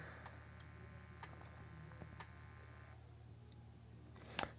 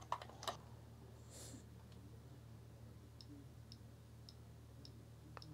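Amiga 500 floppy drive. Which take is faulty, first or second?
first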